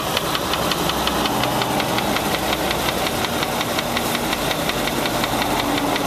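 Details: Land Rover 4.6 idling with a sharp, even, deep mechanical knock nearly three times a second; suspected bad rod bearing, collapsed piston skirt or bad lifter, unconfirmed.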